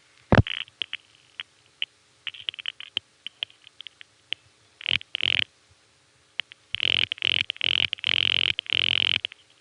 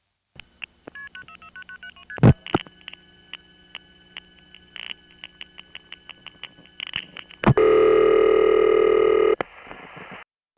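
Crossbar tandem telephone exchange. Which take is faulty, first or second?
first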